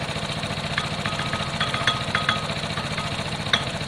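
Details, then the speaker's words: Piaggio Fly scooter on a short test ride at low speed: uneven metallic rattle over a busy idle, coming and going. Worn clutch rattle, first thought to be rollers; common on these and harmless, but off-putting to buyers. "so i just took it for a very very basic test one it's got a bit of a clutch noise um it's quite common with these a bit of a clutch rattle i thought it was rollers up first but listen"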